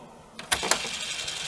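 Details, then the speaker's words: Faulty Amstrad CPC 464 at power-on: two key clunks, then a steady high whirr as the cassette fast-forwards; deck motor runs normally, showing the system gets power despite no TV image, suspected failed gate array. "fast forward the actual tape there maybe you can hear that so that tells me the system's getting power"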